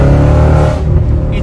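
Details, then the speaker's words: Audi S4, V8, aftermarket exhaust, possibly no catalytic converters, check engine light on: deep loud V8 burble swelling smoothly as throttle opens while driving, no misses or rattles; healthy exhaust note. "That aftermarket exhaust sounds amazing. I hope you can hear it the way I hear it. I'm gonna hit it a little bit. Oh my goodness, it sounds incredible."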